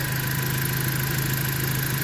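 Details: 2017 Jeep Patriot, 142k miles, idling during the fluid level check after a 6F24 six-speed automatic service with Amsoil Signature Series fluid; smooth steady low hum with an even beat, no knocks, ticks or surges, level about the 30 mark.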